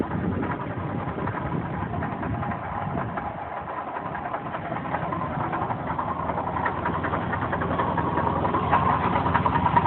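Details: 3.8 L engine idling with a steady deep knock, about three or four a second, that sounded like a rod knock but was caused by a failing water pump.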